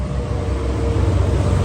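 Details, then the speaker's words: Brastemp 9 kg top-load washer that won't spin, drain pump energized on test with the machine lying down: steady, even low hum with a faint constant tone, no shrill whine; drain pump works normally. "Ela ligou, fez o barulhinho suavemente como tá aqui. Tá funcionando."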